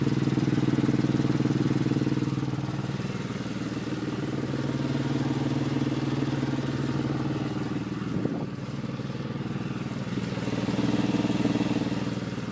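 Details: 2003 Porsche 996 Carrera 2 with a noise that appeared suddenly one day: engine idles with a steady hum and a regular pulse of roughly three beats a second; cause unknown.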